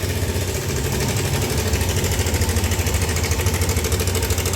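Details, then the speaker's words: Yamaha All New NMAX 155 scooter idling with a harsh, busy clatter over the low idle beat ("sewing machine" sound); owner complaint of rough engine noise, cause still to be diagnosed. "Ada keluhan suara bunyi kasar, mesin kasar ya. Suaranya seperti ini."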